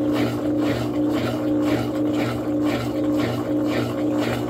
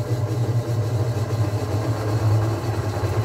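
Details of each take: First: Top-load washing machine on spin cycle: basket stays still, only agitator turns; motor hums with back-and-forth swish about twice a second, never builds to spin. Technician suspects shift actuator fault, possibly burned actuator. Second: Washing machine that had stopped spinning, with the door latch blamed, after repair and partly still disassembled: the spin runs quietly, a steady even low hum with no knocking or scraping; normal spin.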